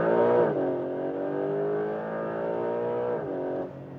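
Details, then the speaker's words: 2025 Porsche 911 Carrera 4 GTS Hybrid, 540 hp, driving: high revving tone drops sharply on throttle lift with a brief valve-opening release as built-up boost pressure is vented while air stays in the system; normal. "then the pressure is being released, but the air stays in the system, so they can again reuse it and have all the time, you know, that like the performance always there is never dropping. So it's very interesting. So the thing that you hear is like a valve opening, and you don't have too much pressure actually,"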